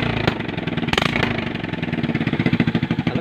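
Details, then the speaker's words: Motorcycle with rusted-through hole at the very bottom of the muffler, before fitting a second-hand replacement: loud, raspy, blatting exhaust pulses at a steady idle pace, far louder than stock; holed muffler. "kasi yan mga Katotski, butas na yung pag ito sa tabutso dito pinakailalim."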